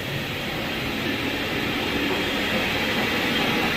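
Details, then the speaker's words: 2018 Ford F-150, customer reports wheel bearing noise at front right while driving. Wheel bearing check on the front left hub: a smooth steady whirr with no growl or grinding, so the bearing is normal. "They said front right, but so here we are front left. I hear nothing. IWE's good."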